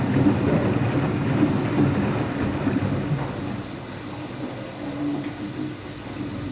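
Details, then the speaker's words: Washing machine on an empty rinse-and-spin cycle: heavy rolling roar pulsing about four times a second; owner suspects both motor and drum bearings are worn, no leak seen. "I actually think it's both bearings. I think it's both the motor bearing and the drum bearing that makes noise. That's what I think."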